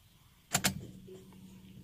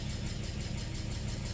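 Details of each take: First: Nissan VQ35DE (G35/350Z), warmed up: cranks, fires, revs briefly, then idle sags and it stalls. Owner hoped a throttle body reset would fix it and performed the idle relearn. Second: Nissan VQ35DE (G35/350Z) with stalling/low-idle issue when warm, warmed up ~10 minutes, temperature under 183°F: steady smooth low idle holding around 700 rpm without dips; idle currently normal.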